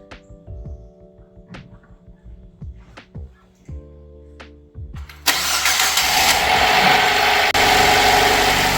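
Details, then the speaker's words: Nissan Qashqai after an engine replacement (the old engine ran out of oil): the starter cranks about five seconds, then the engine catches cleanly and settles into a steady, even idle with no knocks. "That's what we like to hear when we finish an engine change."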